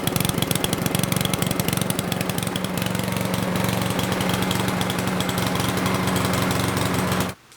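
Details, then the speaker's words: Yard Machines lawnmower with Power Mower engine, oil-impregnated air filter restricting airflow: steady, labored drone that never climbs to full speed, sounding choked; running rich from the oil-soaked air filter. "I will start it up and you will see that it will run rich as if it's being choked"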